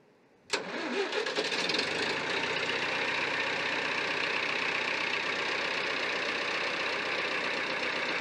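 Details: David Brown 990 diesel tractor started after Group 3 hydraulic adjustments, out of gear: fires almost instantly and settles into a steady, even idle with no knocks or misses; oil then confirmed reaching the valve chest.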